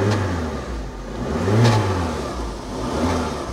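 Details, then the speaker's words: Cheap UK auction-bought three-cylinder car: idles with its typical slight thrum and picks up cleanly on a couple of blips, no knocks; sounds healthy. "little three cylinder sounds all right."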